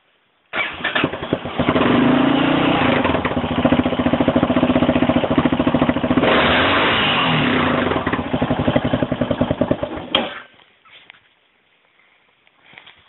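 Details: 2001 Yamaha XT600E at 27,455 km; single starts and settles into a fairly even low idle with a slightly sharp metallic edge on each beat; owner suspects pinging at low rpm, cause unknown.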